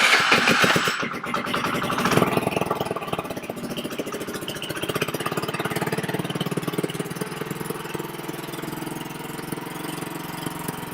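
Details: VIP 50cc Future Champion Chinese scooter after repairs and full reassembly: engine fires, revs briefly, then settles into a steady even buzzing idle with no knocks or rattles; running fine.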